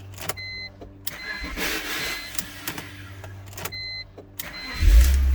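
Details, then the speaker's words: BMW 325i with a newly installed starter, which at times seems not to engage fully (owner suspects Bendix): this time the starter engages cleanly with an even low churn, no grinding or whine, then the engine catches; a healthy crank. "cranked up fine cut off crank it back up again [Music] and then it goes cranking up fine"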